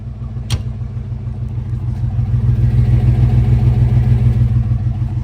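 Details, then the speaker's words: 90s SUV engine with a lumpy, uneven low pulse and a puffing exhaust note, misfiring with a nasty exhaust leak. No knocks or rattles; owner suspects a plug or dirty injector. "uh no knocks no rattles it just got that Miss in that nasty exhaust leak"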